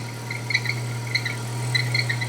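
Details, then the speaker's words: Datsun 120Y idling while warming up: cricket-like squeaking chirps from the alternator, slightly loose fan belt slipping under heavy charging load because the battery is really low; belt to be tightened. "the squeaking sound you can hear is from the alternator which is producing quite a lot of power because the battery is really low and the fan belt is slightly loose"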